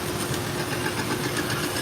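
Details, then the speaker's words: Leather honing belt from Amazon on a knife-sharpening belt grinder; steady hiss with a faint thump each belt revolution from a raised spot on the inside of the belt, not running smooth. Belt thumping from uneven belt. "not smooth. It's got a raised spot on the inside. I'm gonna see if I can fix that."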